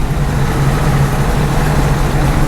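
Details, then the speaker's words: John Deere 8820 combine with separator engaged before harvest, after repairs: even deep drone, steady low hum, no knocks or squeals; owner judges it mechanically ready, normal running. "I can hear it running. That's good."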